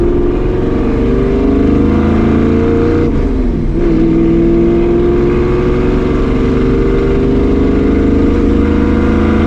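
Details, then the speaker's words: 1965 Ford Mustang 302 V8 on test drive after replacing the driver-side header gasket to fix an exhaust leak: smooth, steady deep exhaust note, no ticking, popping or backfiring; leak fixed, running clean. "The last time I came there, whenever I did that, it backfired. It was so bad. It's not backfiring no more."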